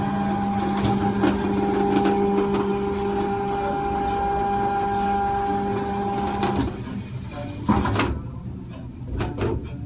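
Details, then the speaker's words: Norvell Auto Revolution Plus spray tan booth after replacement of the upper stepper motor; on power-up a smooth, even whir drives the arm to its home position and stops cleanly. Normal stepper motor operation after repair. "if everything works we'll see that top motor start to spin and arm and gun and everything go go to that home position all looks good there"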